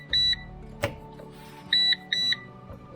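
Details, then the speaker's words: PowerShield PSCRT2000 line-interactive pure-sinewave UPS after its battery is reconnected; the battery-disconnect alarm stays latched, with shrill high beeps, one then a pair about two seconds later, in a quiet room. It clears only after the UPS is switched off and back on. "báo thức sẽ vẫn hoạt động. Để tắt báo thức. Tôi phải tắt UPS."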